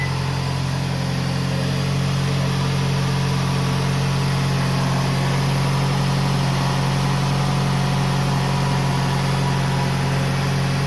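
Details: Toyota RAV4 2.0 1AZ-FE after engine rebuild for connecting-rod knock at 2200 rpm (chain and guides replaced): smooth, even low idle hum with no tapping or knocking from the bottom end; normal idle.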